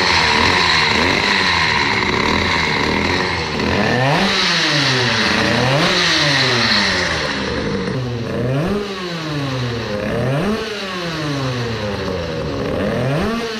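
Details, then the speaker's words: Modified 20 hp two-stroke moped with newly converted dry clutch, running rich with Chinese carburetor: light metallic clicking over the engine as it revs up and down; ordinary dry clutch rattle, normal. "some say that a dry clutch has a nice noise but I think there is nothing nice about it the noise does not give confidence I think but it is normal so now.."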